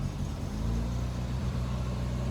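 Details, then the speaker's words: Mk1 Ford Escort, still a bit cold, after the competition World Cup crossmember was removed and the engine refitted on its mounts; a smooth, even idle, where it previously resonated through the whole body; normal idle. "Well, that is so much better. It was resonating through the full body whenever it was idling."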